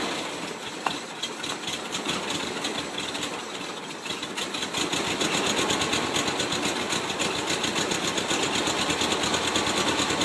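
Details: 1978 VW Super Beetle 1600cc fuel-injected, uneven chattering idle that rises and smooths after gasoline is sprayed into the intake boot, suggesting a fuel/air mixture problem; starts fine, shakes, dies on acceleration; AFM cap missing, gear teeth broken.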